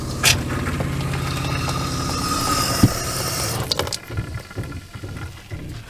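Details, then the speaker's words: Water pump in the living quarters of a Lakota horse trailer during dewinterizing: steady chugging hum with uneven burps because of air still in the lines. The pump itself is good. "You might have heard the pump was burping. But like I say, still got a lot of air in the lines. But the pump is good."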